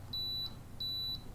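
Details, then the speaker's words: Canon AE-1 Program film camera battery check, button held about three seconds: two clean high-pitched beeps about a third of a second each; six beeps mean a good battery, three a weak one. "to perform a battery check all you have to do is press this button here and hold onto it for about three seconds and you will hear some beeps"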